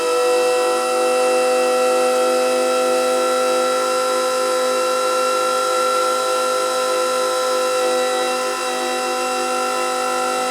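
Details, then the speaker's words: Electric pallet stacker hydraulic pump after fitting larger supply wire, lifting forks near 10 ft: even steady whine at constant pitch, no surging or grinding; sounds better, lifts quicker. Normal hydraulic pump run. "i can definitely tell you that it sounds a lot better with a larger wire on it and maybe my crazy head but i think it moves up quicker as well"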